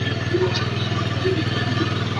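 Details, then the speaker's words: Honda Beat scooter whose owner complains of very high fuel consumption, right after start-up: steady, fast buzzing idle that never drops to a slow tick-over, RPM too high; mechanic hears it as running rich and wasting fuel. "Oke, jadi motor ini sudah kedengaran nggak mau langsam enak ya, dan RPM juga terlalu gede ya."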